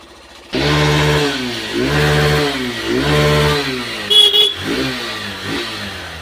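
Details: Hero Super Splendor BS6 single, previously a no-start on an emergency roadside call, now revving up cleanly in several throttle blips and dropping back without stumbling or misfiring after repair; normal running.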